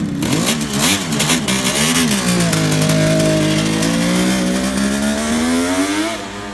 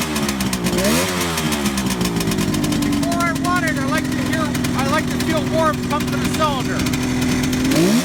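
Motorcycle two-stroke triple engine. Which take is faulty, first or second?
second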